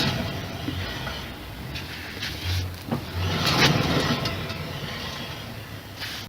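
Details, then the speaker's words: Hand-spun wheel on an Infiniti FX37S raised on a lift, giving a low, gritty hum from a worn hub bearing. There is no play in the wheel, and it sounds clearly different from the right side, so the left hub bearing is to be replaced. "явно звук от гулявшего подшипника есть"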